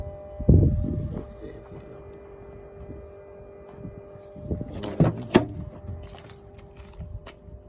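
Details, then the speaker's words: Dacia Duster 4x4, 1.5 diesel 114 hp, recently bought: a steady, annoying low hum under light handling knocks, heard from underneath the seat. "and this is the other noise can you hear it it's coming from here underneath the seat"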